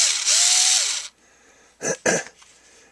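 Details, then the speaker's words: Ryobi HP53L Tek4 lithium screwdriver running in forward: about a second of high, raspy whirr spinning up and winding down, then handling clicks; abnormal gear noise, owner plans to disassemble, maybe grease the gears. "i'm going to take it apart see what's up with it it's kind of making a noise when it's in the forward"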